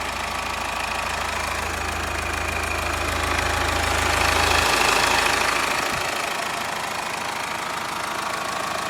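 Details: Subaru EE20 diesel at steady idle after bearing-bed repair with new D16T aluminium-alloy beds; even, regular diesel clatter with no heavy knock, bottom end sounds sound.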